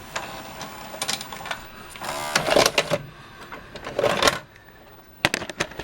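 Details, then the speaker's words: VCR: tape loads, is stopped and ejected with a whirring motor and firm clunks, no chewing or straining; loading and eject work normally, before cleaning of head and video drum. "looks like it's accepting the tape so let's yeah stop it eject it"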